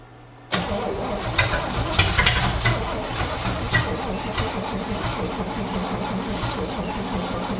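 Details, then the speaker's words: 1961 Cadillac DeVille, engine back from the hearse, fire test while checking timing light: steady cranking about four turns a second with scattered uneven firing but no catch; timing way off until distributor adjusted. "Okay, we're just going to confirm that we're firing at the correct time by cranking it over and using our timing light to see if it's lighting up at the right time."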